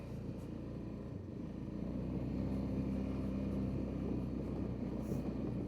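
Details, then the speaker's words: 2005 Honda Rincon 650 that had no power and a 15 mph top speed, on a test ride: steady, even engine drone that holds up as it climbs through the gears and up hills without stumbling or bogging; it now pulls normally under load. "Yeah, this thing is good to go, I think. But we'll test her out a little bit to make sure."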